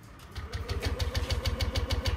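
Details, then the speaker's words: Yamaha NMAX V2 scooter cranking at about 6.5 beats per second but never firing; fuel pump silent, key indicator blinking, immobilizer receiver disconnected from the ECU, after earlier dealer repairs and Error 1. "Ayaw umandar nung kanyang motor. Tapos yung kanyang fuel pump ay hindi tumutunog. Pakinggan natin. Hindi tumutunog yung kanyang fuel pump."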